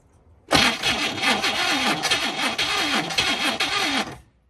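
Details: 1969 Chevrolet Caprice 427 V8 with 4-speed, sitting since 1988: steady fast starter cranking with a rhythmic chug for several seconds on a nearly dead battery, but the engine never catches; crank no-start, cause not confirmed.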